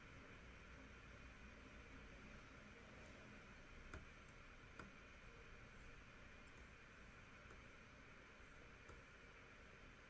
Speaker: Um, and you can hear the fans are going to kick in when things are happening, when it's under load.